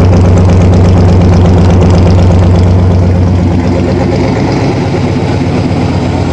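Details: 1987 Toyota Supra MKIII with swapped 350 Chevrolet Vortec V8 and 700R4, restarted after rebuild with distributor cap corrected 180° and valve lash reset, open unwelded exhaust: deep, loud, steady rumble, pitch easing as revs drop, firing evenly; normal running.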